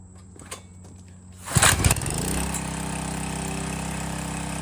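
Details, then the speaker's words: Landworks 20-ton log splitter engine, started after filling hydraulic reservoir and bleeding air: starts on first pull and settles into smooth even putter without misses; runs fine. "We're gonna go ahead and fire it up, see if it starts first pull, run the fluid through it, make sure it's good, and then we'll go do some test cuts."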